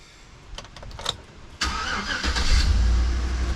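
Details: First start of a 2009 GMC Yukon 5.3 LS V8 after oil pump replacement for low oil pressure: a few clicks, then it fires first try into a smooth steady idle with no knocking; a slight belt-like tick was noted at first run.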